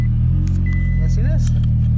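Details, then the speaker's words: 2006 Toyota Tacoma X-Runner V6 with about 129,000 miles, wrecked and bought sight unseen, jump-started after delivery: deep, loud, raw steady idle rumble; owner suspects all the mufflers were cut off. "there they also cut all the mufflers off it sounds like"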